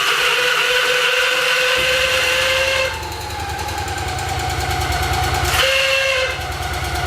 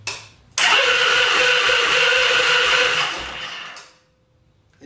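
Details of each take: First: Victory Magnum V-twin motorcycle, first start after rebuild with fuel pump primed: loose, lumpy beat settling after start, no knock or grinding, healthy apart from a loud screeching starter whir; starter suspected to need bearings greased. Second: Victory Magnum motorcycle during rebuild, first start after fuel tank install; loud sustained high-pitched scream about three seconds while cranking then fades; owner thinks starter or its torque limiter, possibly needing bearings greased; starter screech while cranking.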